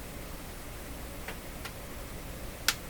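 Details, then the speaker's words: Linn Classik 115 CD loader after belt replacement: faint ticks then a sharp click as the loader lifts the CD; something catching in the sliding part, suspected lack of lubrication or magnetic clamp action; no tick when upside down; mechanism ticking. "tick right there no no tick occurs when this is upside down"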